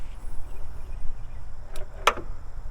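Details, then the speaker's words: Toro Z5030 zero-turn mower (owned since 2009), hard to start for years. Turning the key gives only sharp clicks and a faint whine, no crank. The key had stuck in start while mowing; the owner suspects a burned-out starter and has replaced it. "all you're hearing is a click and a little wine every time that I engage the starter"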